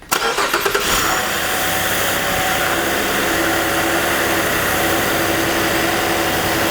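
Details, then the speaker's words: Chevrolet Impala 3.6 V6, intake ductwork and air cleaner removed, cranks, catches and idles with a faint wavering, oscillating squeal; serpentine belt noise. "What you're going to hear is an oscillating type sound."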